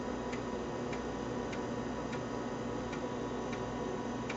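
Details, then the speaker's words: IBM PS/2 Model 50 (286, 1 MB RAM) booting the reference disk from floppy, hard drive not recognised: regular sharp ticks roughly every 0.6 seconds over a steady fan hum; the floppy head is stepping normally while reading. "and you can hear it booting from the floppy disk booting into that ah the reference disk enter"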